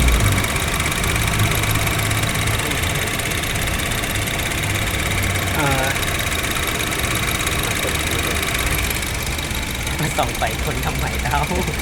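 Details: Honda Jazz GK at idle, noise only with AC switched on: constant high whirr over the engine; mechanic suspects a bearing, AC or alternator belt or pulley. Cause unconfirmed.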